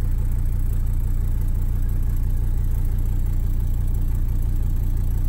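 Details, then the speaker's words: Mercedes 300D OM617 diesel after a blown oil line was repaired and oil refilled, idling in gear with AC on under load: deep, steady clatter, no knocks or misses, oil pressure pegged; engine seems to have survived. "put it in gear for an AC on get the engine loaded down and we're still pegged out of home pressure I think our engines good"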